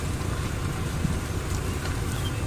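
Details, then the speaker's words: 2004 Ford Explorer driven in a tight turn with the wheel cut, door open, after transfer case chain replacement; steady low drivetrain rumble, tires biting pavement, and no more banging or clicking, showing normal transfer case operation. "now I can go in a curve and you can hear the tires kind of biting the pavement now and that noise is gone which is great"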